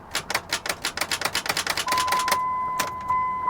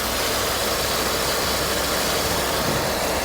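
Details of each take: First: Mitsubishi 3000GT, 144,000 miles, with a jump start: fast, uneven clicking about three a second, then dash chimes, the engine never turning over. Starter clicks with no crank, cause unconfirmed. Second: 2000 Pontiac Grand Am V6 (3100 or 3400) at auction, with a new power steering high-pressure hose and green coolant replacing Dex-Cool: even steady idle with a smooth hiss and no knocks or misses; engine runs great, normal idle.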